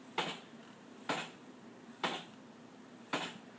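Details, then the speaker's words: 2012 Honda CBR1000RR: sharp, evenly spaced knocks about once a second when rolled in first gear with the clutch pulled, starting as the bike first moves then hooking up; gone in neutral; owner unsure if normal. "it happens when it's on first gear and I just hold the uh clutch and then once I move the tire this sound I haven't really noticed it before"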